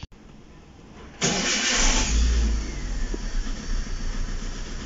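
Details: Chevrolet Spark after refuelling with gasoline and reconnecting the front hose: a brief crank, then the engine catches cleanly, flares up and settles into a steady, even idle with no misses. Normal start and idle.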